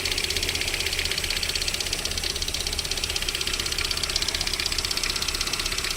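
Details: VAZ 21127 engine at idle during warm-up with a sharp, even knock about four times a second; it disappears once the engine warms to about 40 degrees, source unidentified.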